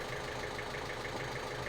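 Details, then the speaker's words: Ford Fiesta 1.5 TDCi (2015) after repair of crank-no-start fault P0340 (broken part, roller bearings recovered): diesel now idles with an even, steady clatter, no misses or odd knocks; oil and filter still to change. "So there we go, success. It lives again, and I think you can hear it. It's ticking over lovely."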